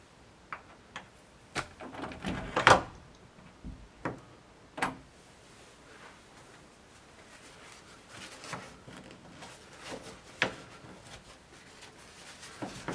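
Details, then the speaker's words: Door hinge after pin cleaned with WD-40 and Q-tips: only soft bumps and clicks as the door swings and settles, no squeak or creak; hinge moves freely. "Here I'm using WD-40 to clean up the pin and a couple of Q-tips to clean up inside the hinge. As you can see, no squeaking at all."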